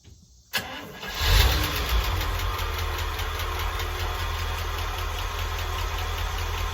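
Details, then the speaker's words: Old International truck engine at idle after start-up: light steady tick over the idle, heard more on the right side and low down; owner suspects one collapsed lifter, also considered a stuck or bent valve; not confirmed. Ticking/clattering noise. "hear that tick and I gotta fix that I've got that one lifter you're saying about yeah I guess it's just one"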